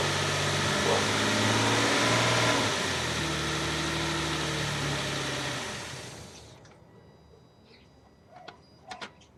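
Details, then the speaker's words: 2006 Nissan Pathfinder V6 after replacing the badly worn secondary timing-chain parts on both banks: smooth, even engine note with no whistle or rattle, then it winds down and stops. The earlier whistle on start-up and acceleration is gone; normal idle. "los dejo con el sonido que se produce ahora que se realizó el mantenimiento"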